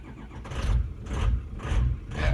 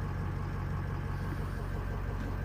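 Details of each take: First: Diesel truck on a cold start with the ICP sensor and most other sensors unplugged: it cranks and catches, then the idle swells and drops about once a second. A surging idle, cause still unknown. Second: Cold start (66 degrees) on Greg's diesel truck with an EGR cooler, most sensors unplugged: deep, even clatter at a steady low idle, no hunting or jumping. It jumped briefly at first fire-up; normal idle now.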